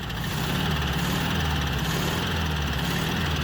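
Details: 1967 VW Beetle air-cooled engine, revived after long storage with the valve train corrected, gives a lumpy idle with a steady low throb about twice a second; a rough knock on cylinder 1 pulses back through the carburetor. Cause suspected, not confirmed.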